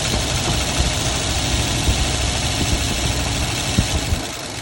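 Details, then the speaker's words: 1990 Ford F-150 XLT Lariat 5.0 V8, just bought, fresh oil and filter plus Lucas additive: rough running with an irregular ticking knock that quickens with rpm, heard below and clearly up top; owner doubts rod knock; unconfirmed. "I don't think it's a rod knock because yes you can hear underneath however you can hear it really well up top too usually if it's a rocker or a rod knock you won't be able to hear it very well it's not that yeah and yes it does increase speed with the RPM increase"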